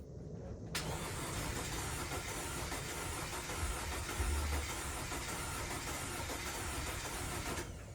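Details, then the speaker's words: 2012 Audi Q5 2.0T with 103,000 miles and severe oil consumption, started after B-12 Chemtool piston soak with old plugs back in. Rough, lumpy idle with irregular stumbles and shaking, white smoke, flashing check-engine light; misfire blamed on stuck oil rings. "We got it started. It's idling. It's really rough. A lot of white smoke."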